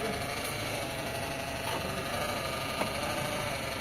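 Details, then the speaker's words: Toyota Alphard/Vellfire AGH30 after automatic transmission overhaul: at idle only a soft, steady engine hum, with no whine or clunk from the gearbox; the earlier transmission noise is gone and the transmission operates normally. "Oke, bunyinya cuma bunyi mesin kan, dari matic-nya udah nggak ada bunyi."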